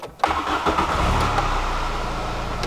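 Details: VW Golf (mono-point injection) that stalled repeatedly: after tapping the carburetor/throttle body, short crank, then engine catches and settles into a steady, slightly uneven idle; owner suspects one of three throttle-body sensors, not the hall sensor.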